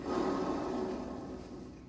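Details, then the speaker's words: Hand-spun car wheel gives rough, gritty rumble with faint hum, fading as it slows: worn wheel bearing; from inside the car at high speed it sounds loud, like dragging or scraping, and worsens. "esse tipo de som lá de dentro do carro em alta velocidade fica muito alto entende parece que você tá arrastando alguma coisa na rua ali parece que o carro tá raspando alguma coisa é um som bem característico de rolamento ruim mesmo"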